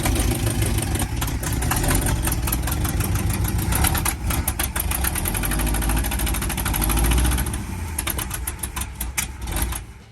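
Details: 1980 International Scout II, engine formerly seized, fed fuel directly while the carburetor leaks fuel: uneven, loping idle with a low rumble, better than at first but not settling.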